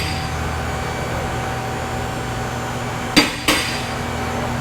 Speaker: you guys hear that loud clicking noise as it's going up what that is is a safety release so whenever it goes up past a certain point a little lever falls down so that if the Hydraulics failed the car wouldn't come down it's locked safely in place